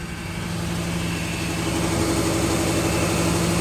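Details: Ford Taurus unused for about three years, old fuel, heavy smoke likely fogging oil: steady idle with a faint uneven stumble.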